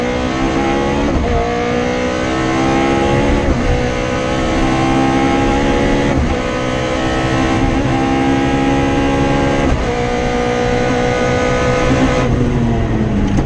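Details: Rally car on the Padmore Village to Golden Grove stage, Rally Barbados 2017, with a loud, steady high-rev note pulling hard through the gears in repeated sweeps and no stumbling: the engine is running clean at full throttle.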